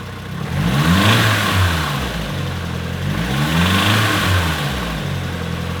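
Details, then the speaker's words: Nissan 240SX S14 SR20DET turbo petrol engine blipped from idle with a light metallic rattle on each rev, still present after fitting a manual timing chain tensioner; cause unknown, owner suspects something internal. "No, man, I don't know what it is, but there's still a noise, Jesus. Usually I end a video with progress being made, but today the old SR curse is back again. I'm really at a loss as to what the rattle is now."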